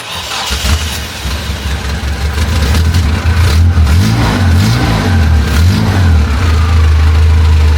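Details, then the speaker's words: 1988 Dodge Raider, first start after sitting a while: it cranks and catches into an obnoxiously loud, deep growling idle with uneven surging and coughing. The exhaust leaks; the owner suspects one spark plug may be misfiring. "She's got a little growl to her as you can hear there. It's obnoxiously loud and at first start it hasn't been started in a while so it was kind of coughing."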